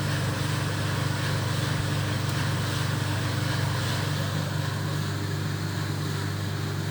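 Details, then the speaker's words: 1970s Creda Compact 3 tumble dryer, 41 years old, original plug, heater giving very hot air: steady low hum, soft even drum rumble, no knocks or scraping; normal running, quiet and smooth. "Anyway, and this runs very, very smoothly for its age. And I'm going to turn it on, and I'm just going to show you just how smoothly it really sounds. That is quiet and very smooth."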